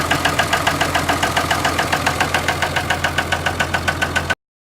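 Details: 2003 Dodge Cummins 3500 diesel that started knocking badly and blowing white smoke while hauling, stranding the driver: sharp, even knock about 3.5 times a second over steady idle; injector suspected, not confirmed; engine knocking.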